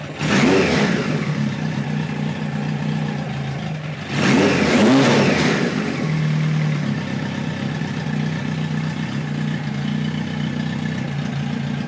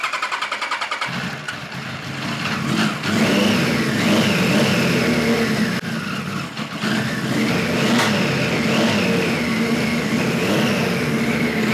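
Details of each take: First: 1973 Kawasaki Z1 900 four: clean throttle blips, then a steady, even idle with no popping or stumbling; runs pretty well but needs more carb tuning, owner suspects lean running when hot; air screws at about 1-5/8 turns. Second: 1973 Kawasaki Z1 900 four after a float needle replacement: revs stumble and pop irregularly, never settling; points sparking heavily, owner suspects bad capacitors and an ignition fault.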